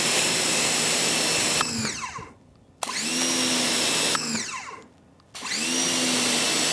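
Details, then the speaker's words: Ryobi 1600 PSI electric pressure washer, primed, medium nozzle: loud, steady high-pitched pump whine that starts and stops cleanly with each trigger pull; whiny and loud but running normally. "so what I noticed right off the front is the sound of that pump is kind of whiny and loud"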